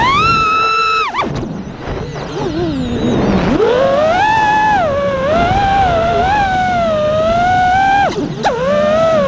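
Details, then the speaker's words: Quadcopter after replacing two failing ESCs with DYS 35A ESCs: smooth motor whine rising and falling cleanly with throttle, motors spinning faster, frame no longer vibrating or resonating; normal motor run. "so there you go it sounded 10 times better you can hear the motors are spinning faster the frames not vibrating anymore there's no resonating or anything it just it sounds good"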